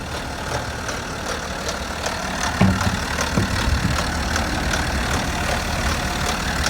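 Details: BMW F10 530d LCI diesel on early-morning cold start: loose, uneven tapping about once per second over the idle; knock source not yet pinned down.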